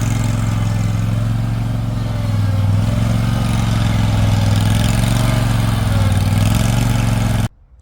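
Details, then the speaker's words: Toro Titan HD mower, Toro-made twin, new fuel filter and line fitted: steady even low drone, no knocks or misses, until switched off; runs normal. "It'll send fuel up through that new fuel filter and that new fuel line, get it up into the carburetor, and it should fire right up pretty quickly. Alright, so let's fire it up."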